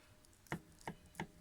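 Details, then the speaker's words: Ford Focus ST170/SVT steering rack, removed and opened in a vise, gives four sharp metallic clacks as the shaft is lifted up and down; the knocking comes from play at a worn rack yoke. "Well, can you hear the knocking? If I do this, that's the knocking that I was getting in the rack. Now what comes out of there is this little part, and I think the culprit is that was worn."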